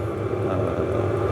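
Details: Stationary diesel heater running steadily on power mode: soft low rumble with even hum, no stutter or surging; normal running.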